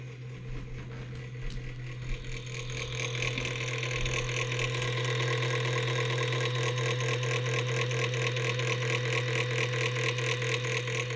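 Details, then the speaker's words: 1990s Gateway all-in-one LCD computer running Windows XP: at power-on a steady low hum with fast, regular rasping ticks about twice a second; failing hard drive grinding, though it still boots. "the interesting thing about this one is when you turn it on the hard drive is starting to go out so when you turn it on can you hear"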